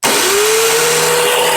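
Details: Troy-Bilt 2620 snowblower, gasoline of unknown age, electric start: steady high blender-like whir rising slightly in pitch with no firing or catch; starter spins freely but engine never starts.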